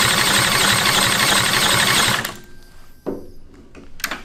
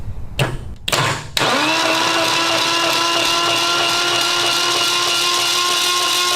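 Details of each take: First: Retired military generator engine (4A032 four-cylinder or 2A016 two-cylinder) fitted with an exhaust: it fires quickly and runs evenly for about two seconds with no misses or knocks, then fades. Normal running. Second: Retired military generator engine, 4A032 four-cylinder or 2A016 two-cylinder, cranked on a jumper: harsh loud straining starter whir, engine not turning freely, seized and not freeing up; spark present.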